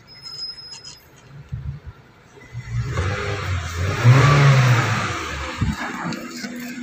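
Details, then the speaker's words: 2015 Honda City after fixing a loose coil socket connection that caused rough running and sudden stalling, with spark plugs replaced: quiet idle, then clean rev up and back with steady firing, no stumble or misfire; running well. "Kaya gumanda yung andar. Ito po, okay na po siya."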